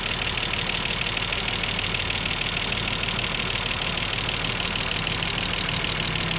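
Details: Mercedes-Benz W124 engine just after cylinder head refit, idling after first start: fast, even, bright light ticking from hydraulic lifters not yet filled with oil, gradually quieting as they fill; hydraulic lifter tick.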